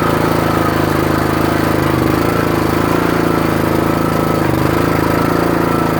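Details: Troy-Bilt/MTD 27-ton log splitter with about 120 hours of use: a loud single-cylinder putter with uneven, labouring, sagging beats. Engine bogging under load on the return stroke unless the valve handle is held up, and getting worse; owner suspects the valve (Energy 326890).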